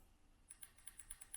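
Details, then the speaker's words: Injector from a 2002 6.0L drive-by-cable LS V8, plugs off, triggered by a homemade 18650 battery and momentary switch: sharp even ticks, about six or seven a second; injector clicking, opening and closing properly. "I don't know if the camera's picking that up, but you can hear it click. And then I move on to the next injector. Do the same thing. I can hear it click. They're working."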